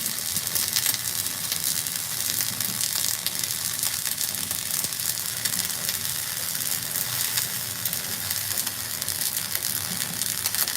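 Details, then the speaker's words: Flux-core welding: steady crisp frying sizzle, even crackle, no popping or sputtering; normal welding arc running well. "I love that noise. Sounds pretty good right now. Sounds like money."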